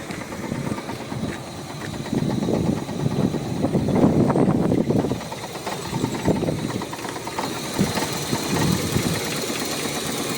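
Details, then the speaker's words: Toyota MR2 Mk3 Roadster Spyder after fitting a Walbro 255LPH fuel pump, new battery: engine fires up and idles steadily with some revving, no misses or knocking, no fuel leaks; runs nicely. "go sounds good right Run's nice let's have a little look no leaks here"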